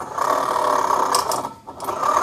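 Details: Automatic scooter CVT pulley after replacing the pulley bearing, which had caused a growling noise. Spun, it gives a smooth, even mid-pitch whirr with no growl or roughness; the new bearing sounds healthy.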